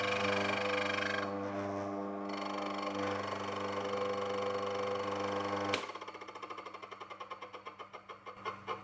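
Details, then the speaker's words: Mockmill 200 grain mill running while resetting the adjustment lever: steady motor hum then light even ticking, about three or four a second, as the millstones just touch at the finest zero-gap setting; tightening further could damage stones. "but that ticking sound is the two stones just starting to touch and when you've got that sound you know that that's as close as they can get"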